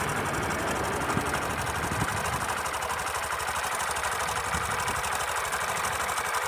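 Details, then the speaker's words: Sundiro Honda CBF125T motorcycle idling, recorded on a phone: light, quick ka-ka-ka tick about four per second over the exhaust, fairly loud but not affecting riding. Ticking at idle that the owner attributes to the timing chain. "对了，兄弟们，刚才发动机正时链条异响吗？现在用手机录一下给大家听看看。现在应该非常明显，就那个咔咔咔咔的那个声音。"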